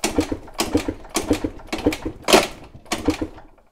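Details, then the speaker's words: Piaggio TPH scooter with a 172cc Malossi cylinder, cranked during a compression test with the fuel tap open: slow, uneven puffs with little resistance, and the gauge reads only 5 bar although the scooter rides well; the owner doubts the measurement. "tja 5 bar das ist ja richtig traurig aber was will man machen der roller fährt aber gut derzeit gut ab sehr merkwürdig das ist ungewöhnlich"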